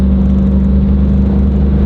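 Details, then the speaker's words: Chevrolet SS sedan while driving with an aftermarket 1,500 horsepower drive shaft: steady deep drone and rumble, mirror and gauge needle shaking, no knocks; owner blames driveline vibration from the drive shaft. "the needle shakes everything literally shakes on this thing like look at the mirror it sounds crazy back sounds crazy"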